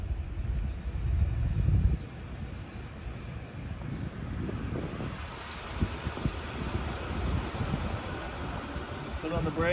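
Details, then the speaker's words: 2011 Chevrolet Impala 3.5L V6: a thin, steady high-pitched brake squeal over faint road rumble as the brakes are applied. The pads are worn to the wear indicator; fixed by replacing the rotors and pads on all four wheels. "well that was an awful noise you heard there on the intro"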